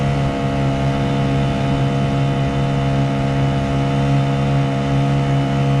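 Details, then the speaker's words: Honda GX50 50cc powerhead outboard with 2-blade prop on a Nucanoe Pursuit kayak, wide open throttle about 6.2 mph: steady, even drone holding pitch with no surging or misses; pulling healthy and strong. "That is wide open. 2-blade prop. 6.2. Not bad."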